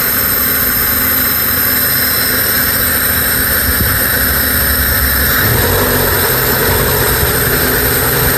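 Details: Honda Civic LXi with automatic transmission, idle being adjusted at the throttle butterfly stop after running high: steady idle hum settling to a slightly different even note, smooth without hunting or stalling; normal idle.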